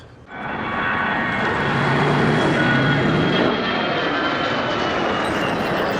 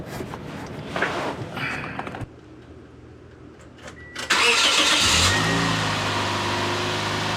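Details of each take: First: 2008 Toyota Yaris exhaust, heard under car before repair: loud raspy roar harsher than normal tailpipe note; exhaust leak at damaged exhaust manifold flange, plus a heat shield rattle. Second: 2008 Toyota Yaris after heat shield fixed with vice grip: engine catches and settles, quick rev climbs and drops cleanly, no tinny buzz; exhaust now quiet.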